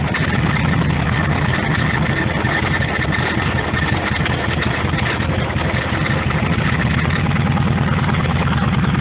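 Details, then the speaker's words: Cold start of a 1948 Harley-Davidson EL Panhead after two full kicks on full choke: steady, even loping idle with a firm low thump and no knocks or ticks; normal idle. "and here's the whole go right here. Nice and easy. Sounds good."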